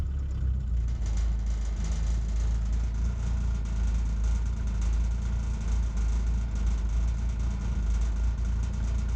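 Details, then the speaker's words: Old mechanical-pump diesel truck running on sunflower cooking oil, warmed up after three to four minutes, at tick over: deep even rumble, no misses or knocks; still hunts slightly but much smoother. "yeah it seems to be running right now so it takes about three or four minutes to warm up once it's got past that first initial bit"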